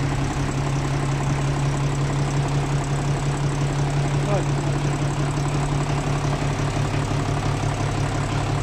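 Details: Hino 0-6 truck diesel engine after engine repair: deep, steady idle at an even beat, no misses or knocking; normal idle.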